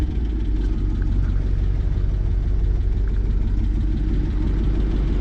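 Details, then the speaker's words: 1955 Ford Fairlane V8 idling after key start with a deep, uneven rumble and loose puffing edge from an exhaust leak, suspected gasket or donut; possible lifter noise on one side too. "and she's running definitely hear an exhaust leak on this one"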